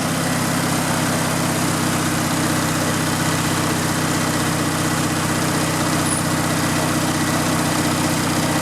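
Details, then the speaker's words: Riding lawn mower started on choke with a jumper wire fitted and fuel primed through the filter, kill wire disconnected: an even, settled idle with a low steady putter and no stumbling or surging; it runs cleanly. "cap back on choke on everything's clear brakes on it and there we go oh it runs nice"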